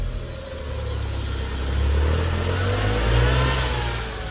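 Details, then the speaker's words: 2000 Smart City Coupe revived after clutch actuator and starter work, starting first time: runs cleanly, picks up smoothly through two gentle revs and drops back without stumble; healthy running. "Starts first time, stick in reverse."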